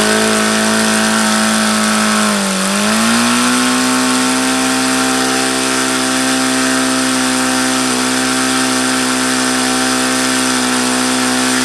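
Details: HP VT 21 rotary-valve four-stroke model engine on Omega control-line fuel, throttle closed: high steady buzz that sags briefly, picks back up and holds fast. It will not idle down despite leaning the low-speed needle and trying different plugs.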